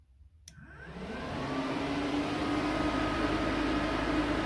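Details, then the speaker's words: Turbo Cinquecento radiator fan relay powered directly after rewiring instead of ECU trigger: a click, then the fan spins up to a steady even whir with faint regular relay ticking underneath; fan and relay working normally. "so if i just pick this up ah sweet sound of sweetness at least here you should be able to hear the actual relay ticking"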